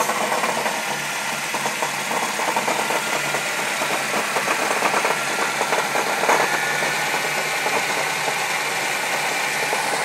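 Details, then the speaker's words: 1995 Saturn SL2, started after about 8 months of storage; rough, crunchy idle with uneven metallic knocking and rattle, roughly three a second, under the hood; later found to be a bottom-end fault needing an engine rebuild. "Kind of a crunchy sound."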